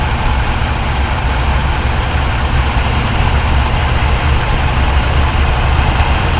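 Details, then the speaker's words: Lifted 3rd-generation Toyota Tacoma, about 11,000 miles, with about 1,000 miles on the lift kit, recorded on a GoPro while driving. The month-long grinding from the driver-side CV axle area went away; now only a steady, smooth low rumble. "what I didn't show was after I did that driving the truck it went away the noise went away and I'm gonna show you guys a GoPro clip of how it sounds now"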